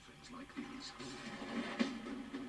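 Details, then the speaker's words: JVC HR-7700E / Ferguson 3V23 VHS recorder, circa 1980, after drive belt replacement: tape audio wavers quickly in pitch, flutter not wow; uneven capstan speed suspected, capstan motor or capstan to be investigated. "Can you hear that wobble on the sound? Oh dear. So we have some serious uh capston um variability you know that is that is uh flutter not wow."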